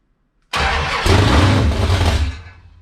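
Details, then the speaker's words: 1978 Dodge D100/D150 Warlock truck with a 360 small-block stroker on its first start, cold, with no choke and fresh gas: it catches within a second into a deep, mean-sounding V8 rumble that fades after two seconds. Normal start. "wow all right she uh she wants to go wow that sounds mean see if we can keep it running this time"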